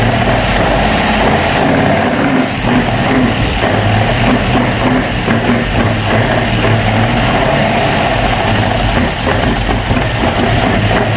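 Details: Opel Manta hatchback with Ascona front end, first start after about 20 years sitting, camera at the front; uneven idle with a loping, stumbling beat and dropped pulses, a little missy: misfire, cause unconfirmed, points and distributor to be checked.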